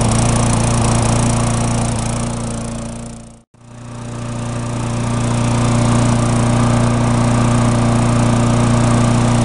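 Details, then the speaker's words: Tecumseh mulching mower, formerly surging and non-starting, after carburetor repair and about five minutes of running: steady, even drone at constant pitch with no misses or surging. It has settled right down and runs well. "I let it run for about 5 minutes and it's settled right down runs really good no misses"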